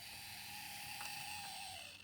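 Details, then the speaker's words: Dapol/Model Rail 0-4-0 Sentinel 'Molly' model locomotive with 5-pole motor and Super Creep mechanism, first ever run at slow creep, mic close: thin high whine with fine mechanical chatter, loud and unhealthy gear/motor noise. "Well, it does seem to be able to creep, that is definitely true. Oof. That noise, though, is not what you'd call healthy."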